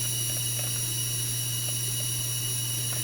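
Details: FSP 300-60GHA PSU, output capacitors replaced, under load with rails about 11.93 V, 5.06 V, 3.33 V: constant high-pitched whine over steady hiss and low hum; coil whine and hiss, owner suspects more than the 12 V capacitor.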